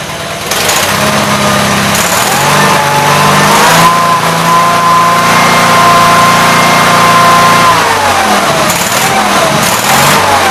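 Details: Gravely 8163-T after carburetor swap, new air cleaner and PTO adjustment: steady engine drone rising and easing back smoothly with no misfire, knock or hunting; runs fine.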